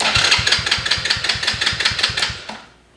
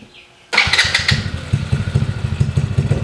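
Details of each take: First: Small kids' ATV with electric start: starter turns the engine over in even beats, about two and a half a second, then dies away, engaging without the button pressed because the start switch is broken; before replacing the switch. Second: Daughter's ATV after replacing broken starter switch and charging battery: fires right away after short crank, settling into steady, even idle with regular low pulse; normal start.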